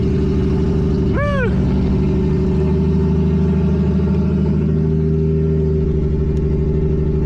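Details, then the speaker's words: Nissan G35 with 1JZ swap on ECUMaster EMU Black; idle with uneven lumpy beat about three pulses a second under exhaust drone, rough; owner suspects old, very low-octane fuel, unconfirmed. "All right. Well, car is definitely not happy, obviously. Um, I think the fuel is really old cuz it it smells bad. Yeah, it's pretty old fuel."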